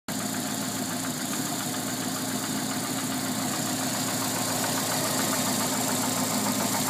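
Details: Alfa Romeo 145 1.6 boxer at idle; light, even ticking about three to four times a second over a steady idle, an abnormal top-end tick, cause not pinned down.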